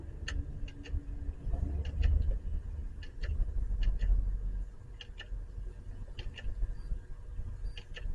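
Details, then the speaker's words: Canon SX540 camera dropped during filming: sharp paired clicks repeating about every second at power-on, lens drive straining and failing, green light flashing, lens error. "It's making this clicking noise. There's a green light flashing. Lens error."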